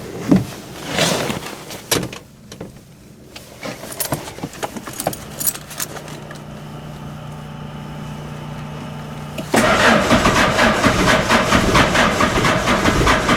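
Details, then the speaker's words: 1986 Ford Escort diesel that kept stalling and wouldn't start, after fuel system repairs and fuel pump priming: clicks and rattling, then it catches after about ten seconds into a steady, even diesel clatter; starts and runs normally. "that at least it started that's your home reliably this is gonna stay running almost afraid to take my foot off the pedal I really missed that sound"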